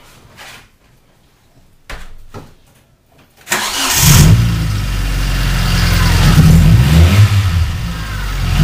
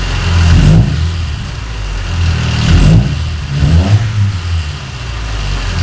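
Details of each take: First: Car running rough since engine shop fixed warped head and reused makeshift spark plug wires, before wire change: short crank then lumpy, uneven idle with irregular shake, backfires when driven; misfire from faulty spark plug wires. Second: Car recently repaired for a warped head, after replacing sloppily refitted spark plug wires that caused rough running: clean rev-ups dropping to a steady even idle, no spitting, more power; running normally.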